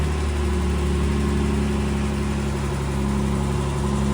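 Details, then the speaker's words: 1963 Jaguar XKE, parked since 1996, revived with remounted exhaust, fresh fluids, new header tank and cooling hoses, a rusty old fuel filter found: first push of the button gives a smooth, even idle with no misfires or knocks; engine sounds healthy. "This will be the first time. All righty. Oh, first push of the button and the engine sounds all right."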